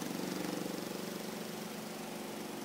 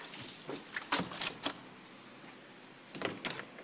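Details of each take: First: Oceano OWS-07L semi-auto washing machine spin cycle after load is centred and balanced: steady, even motor whir with a soft tub pulse, no banging, no noise. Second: Semi-auto washing machine (Oceano OWS-07L) spin dryer: loud, fast rattling and banging as the drum spins, from clothes packed unevenly. Dropping the clothes into the center to balance the load makes it silent.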